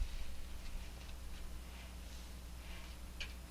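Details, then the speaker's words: Farmall Cub transmission/rear end, shaft spun with reverse idler gear removed: low steady hum, faint ticks, no whine or grind; noise gone, so it lies in reverse gear or its mating bottom-shaft gear mesh. "yeah not a bit of noise so it's definitely having to do with how that stew gear mesh taking out the reverse gear eliminated the noise"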